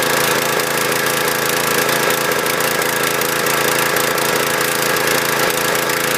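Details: Husqvarna PW3200 pressure washer, Briggs & Stratton CR950 208cc single, submerged in Hurricane Ian flooding, fresh fuel, choke off: fast but uneven, irregularly stumbling beat; running a little rough, cause unconfirmed.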